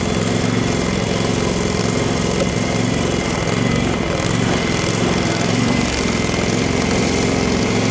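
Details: Craftsman FS 5500 lawn tractor before its carburetor was cleaned: the engine runs unevenly with a lumpy, stumbling beat and dips in speed; the owner says there was dirt in the carburetor.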